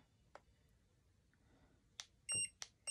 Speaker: you guys get the beeping sound when you're um putting the temperature up you hear the beeping sound so I'm gonna let it go up to 200.